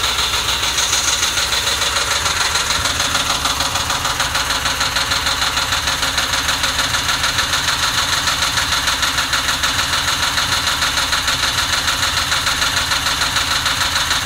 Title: Mustang GT 06 rough idle after warm up